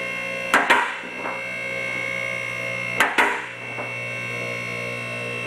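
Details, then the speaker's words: Car lift raising a vehicle: steady pump hum with pairs of sharp metallic clicks about every 2.5 seconds as the safety latch in the back of the frame catches; normal safety latch operation. "this right here is where the latch you'll hear it click that's clicking in as your safety as you lift the vehicle"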